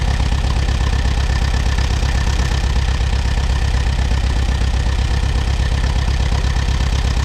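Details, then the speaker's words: Allis Chalmers WD tractor, sat about a year, first start: low, steady thumping idle at about two beats a second with an irregular lope; owner suspects one cylinder missing, possibly moisture on one plug, cleared after moving. "it sounds like it might be missing on one cylinder"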